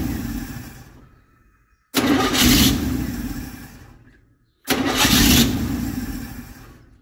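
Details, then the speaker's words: Chevy 283 V8 in a parts truck, cranking on a new starter held by one bolt: two bursts with a harsh scraping rub; the starter hitting the broken shroud, checked and confirmed as the noise. "I think what we're hearing, I think it's hitting this shroud. So it's already broken."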